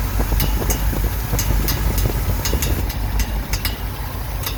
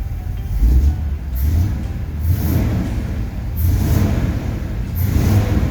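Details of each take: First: 1969 Ford F100 V8 idling after sitting, coil wire changed: sharp, uneven clicks about twice a second over the idle as the fan strikes the radiator shroud; pulling it back stopped the noise. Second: 1969 Ford F100 V8 running after coil wire cleanup and timing adjustments. Deep rumble swelling and falling in blips about every second and a half, clean pickup, no misses; running better.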